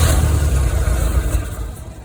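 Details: 1985 Dixie Bandit boat engine after sitting six years: catches straight away with a deep, even low rumble that settles smoothly, no misfire or knock; normal start.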